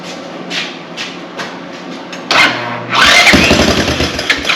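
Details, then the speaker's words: Honda TRX200 ATV, roughly 40 years old, parked after running low on oil; first start after revival, idle screw turned down two turns as a precaution, yet the single-cylinder fires and climbs straight to a fast, busy idle with no throttle; idle set too high. "we don't know how it's set you know 40y old piece of equipment probably somebody's messed around with an idle so let's turn the idle down two turns just to be careful"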